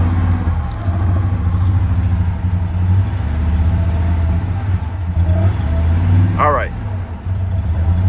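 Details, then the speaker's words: Harley-Davidson F-150 V8, towed in not running well, before coil and plug replacement: low uneven rumble, stumbling lumpy firing that won't settle to idle, shaking badly; rough running, cause not yet found. "oh she caming no so yeah she's shaking bad let's shut her down"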